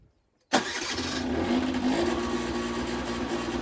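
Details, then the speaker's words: 2013 Peugeot Speedfight 3 50cc two-stroke moped, 6,800 miles: catches at once and buzzes high, revs drifting up and down at idle; owner suspects it just needs a service, plug and filter. "you see it's high RBS low revs yeah it just needs a service"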